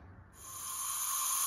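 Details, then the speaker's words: Mercruiser 5.7 V8 marine engine leak-down test on cylinder 5: about 90 psi in and 10-15 psi out, and a steady high air hiss, heavy at the exhaust and slight at the intake, points to a leaking exhaust valve. "so number five is failing also in this case i can feel air coming on the exhaust side heavily and i hear a little bit up here at the intake but i hear a lot more at the exhaust"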